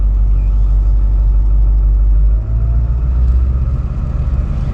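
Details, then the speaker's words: 2002 Ford F350 7.3L diesel after running 30 miles on 17 gallons of gasoline, refilled with diesel: deep, even rumble with a steady beat, no knocks or misses; normal diesel idle. "just idling right now of course as we drive this thing around to the front sounds healthy"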